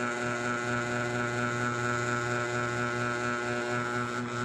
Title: noisy sound with my mini ceiling fan kss